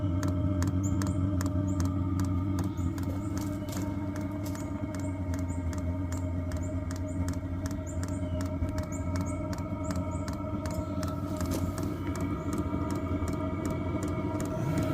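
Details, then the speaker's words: Vevor Chinese diesel heater, first start after assembly and priming, warming up: steady combustion roar with a fast, light ticking as the fuel pump kicks in; heater running normally. "Oh, it's getting warm now. You can hear the pump kicked in again."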